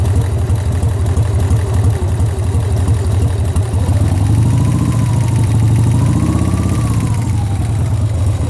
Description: Sportster engine knock. Am I hearing things? Do I have a bad lifter? Any advice is appreciated!